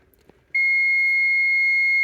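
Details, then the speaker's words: Barn-find Stern Wild Fyre pinball, power/ground repair: multimeter gives a steady continuity beep on the ground check before the transformer is grounded to the grounding strap. "all right so now I've got continuity"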